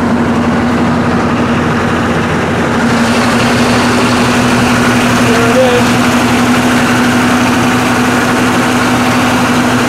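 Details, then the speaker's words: 1993 2WD Chevy Suburban with a swapped 6.2L diesel (700-R4, 60G glow plugs): quick, even diesel clatter at fast idle with no load, faulty at 1400 RPM and later corrected to 850 RPM; the high idle needs turning down. "I need to turn the high idle down a little"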